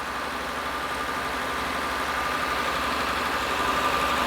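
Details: 2000 Honda Accord 3.0L with code P0505, before repair: the engine holds a fast, even idle that never settles; unplugging the EGR valve changed nothing.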